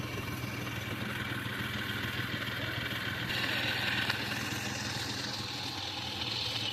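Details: Hyundai car with about 342,000 km: steady, even idle with light regular beat and some hiss, no knocks or misses; engine sounds healthy and workable.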